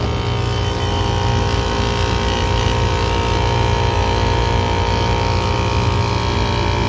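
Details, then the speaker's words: AC compressor running under load in over-100-degree heat while a couple squirts of oil are added, unsure if oil is low: steady droning hum with a harsh rough edge; noisy compressor, quiets only slightly, cause not confirmed. "we don't want to put too much oil in there because we don't even know if it's low but it just sounds like crap you know so we're just going to put a couple squirts in there"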